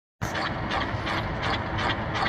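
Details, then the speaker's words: Brunswick Frameworx bowling pinsetter power lift: steady mechanical rumble with regular scraping rasp about every half second; bearing in bottom pulley assembly going bad, pulley assembly to be replaced. "got another noisy power lift this morning um we're going to change out this bottom section I may not do it all on video because we've already done one you know what the process is but the uh the bearing in there is starting to go bad so we're going to change out the bottom pulley assembly"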